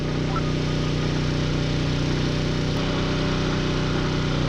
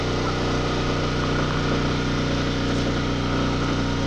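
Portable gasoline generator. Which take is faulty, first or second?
first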